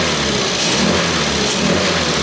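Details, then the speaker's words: Engine with SU carburettor after idle mixture tuning around 1000 rpm and damper oil topped up; revs pick up cleanly and quickly with each throttle blip, no stumble; normal throttle response. "this sounds like a lot better you know immediate response"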